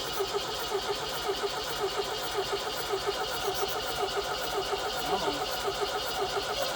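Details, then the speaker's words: Barn-find 1973 MGB, formerly locked engine, started on ether for the first time in about 41 years: an uneven, lumpy, loping idle with a wavering beat. Rough running; the carburettors need going through and the ignition timing needs setting. "man this thing actually sounds pretty good so it's running like a little rock i'm sure the ignition timing has to be done but mainly if these carburetors need to be gone through"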